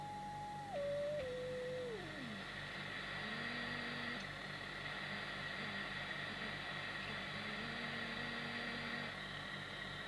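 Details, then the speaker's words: 1981 Suruga-made Grandstand CB 27/81 base station on receive: clear whistling note over the hiss slides down in pitch as the 36.6162 mixer coil is adjusted to null it; heterodyne whistle from a misaligned mixer coil. "can you hear that musical note we need to null that by adjusting the 36. 6162 mixer"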